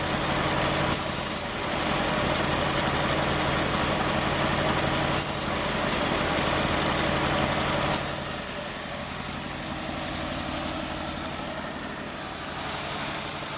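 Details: Ford Maverick first run after sitting 26 years, cold idle with blue-tinted oil and a suspected base-plate vacuum leak: steady even knock about four times a second; mechanical knock, cause not yet pinned down.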